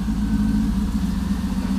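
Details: LM7 V8 swapped into a Volvo 240 wagon (MegaSquirt 2, Borg Warner 4-speed, Ford 8.8 LSD), first time out of the shop under its own power after a 2.5-year build, header dented for steering-shaft clearance: deep, even V8 burble at steady idle, no knocks or misses; healthy engine.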